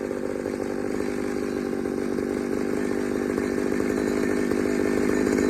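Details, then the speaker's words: Pioneer 3270 chainsaw with a substitute carburetor, probably from a 60cc saw, safety chain, untuned: revs to a hard thin buzz that holds without burbling; running lean, owner plans to fit a different carb. "all right so everything about that little test run tells me this all's gone lean i am not surprised"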